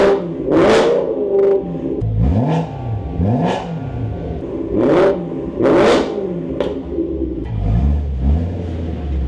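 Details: 2008 BMW E92 M3 V8 with newly installed Turner valved stainless exhaust, first start, brief run pending a new coolant line: several sharp throttle blips flaring and dropping cleanly, deep crisp bark; healthy, no misfire.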